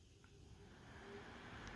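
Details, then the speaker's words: LED PC fan on a bench, spun up from bottom to maximum speed: soft whoosh rising to a steady rushing tone with faint whir; kind of noisy but fine inside a case; normal airflow noise. "now that's that's pretty much the bottom speed and that's maximum speed kind of noisy but not too bad in inside of a case you won't really notice it"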